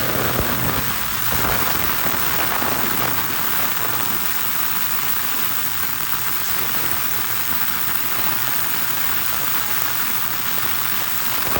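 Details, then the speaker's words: Ultrasonic cleaner, heated and set to 30 minutes, cleaning the carburetors from a 1980 Honda CV750 motorcycle stored 12 years; an even airy hiss with fine crackle. The speaker first remarks that it sounds like an air leak, but it is normal cavitation. "Okay, that's cleaning, I guess. We're making the water vibrate."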